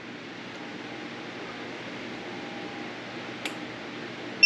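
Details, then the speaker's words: Realkant tumbler sublimation heat press counting down the first 90-second timer: faint fan hiss, then one sharp high beep at zero as the countdown ends, which is normal operation. "Okay, so we're coming up to our first time of 90 seconds. It's going to beep once we get down to 0."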